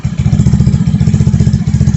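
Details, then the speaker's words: 2021 Vitacci 150cc Chinese scooter after carburetor swap (original 125 main jet reused) and new fuel filter, idling: even steady low single-cylinder putter, no stumbling, surging or bogging; much smoother than the old choppy carb. "It runs a lot smoother now. It's a different ride now."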